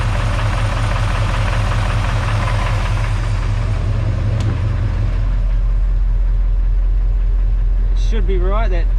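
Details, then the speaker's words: Chevy 350 small block V8 at idle: a light rattle at roughly 2–3 per second returns as oil pressure comes up (just under 30), temp about 180. Cause unclear. "ah here comes the CL cl's coming back now since when oil pressure comes up we get a CL weird"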